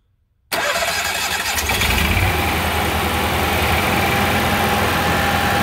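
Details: Onan QG 5.5 generator, primed by fuel pump, catches at once and settles into steady even idle that smooths as the choke pulls off; healthy start during maintenance.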